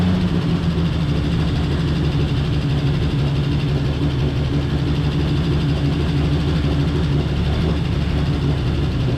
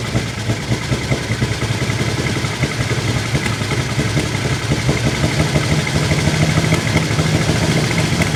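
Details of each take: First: 1949 Chevy Fleetline 216 six after freeing stuck lifters and replacing bent pushrods: steady, even low note with no ticking, revs hard before running out of gas; running smoothly. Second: 1949 Chevy Fleetline Deluxe six, first start after the engine was opened for stuck lifters and bent pushrods, with the side cover off. It gives an uneven, lumpy, stumbling idle; it is rough but seems to be hitting all six.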